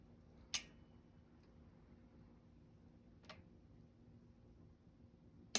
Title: sram sx eagle drivetrain clicking noise from chain